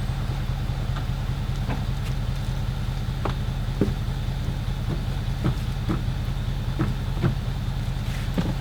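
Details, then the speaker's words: Galion T500 motor grader that has sat since 2007, cranked after tightening a loose connection: slow, steady cranking at about two and a half beats a second with no catch; engine turns over but won't start, ether to be tried next. "Okay, see if that helps anything. It's turning."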